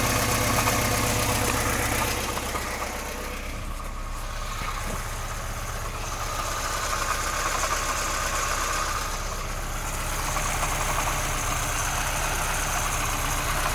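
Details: VAZ 2106 at idle with timing chain just replaced and tensioned: sharp regular knock about four times a second, resembling bearing-shell knock, but unchanged when spark plug wires are pulled; source unclear.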